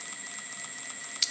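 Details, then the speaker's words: Ancheer electric bike after about 350 miles: fast light ticking, six or seven clicks a second, over a faint motor whine from the hub; owner suspects metal plates inside the hub have separated, grinding worse uphill. "they just went apart a little maybe that's why it's making this noise this clicking noise"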